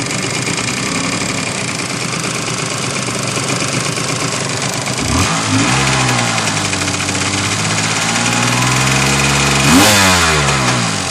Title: 750 SX Exhaust Leak